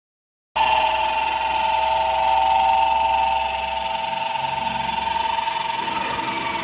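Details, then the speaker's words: Stand fan with slight play in its worn shaft bushing: loud, harsh, steady screech as the rotor rubs the stator; the bushing is to be replaced. "Grabe ang ingay mga idol no? Nakakatakot ang ingay."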